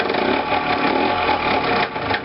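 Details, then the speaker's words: Small engine after returning from a short ride: ticking over with an irregular, harsh mechanical clatter on top; owner suspects the bottom end, cylinder head looks fine. Cause suspected, not confirmed. "Oula, pas beau du tout. Je rentre d'une petite sortie et voilà."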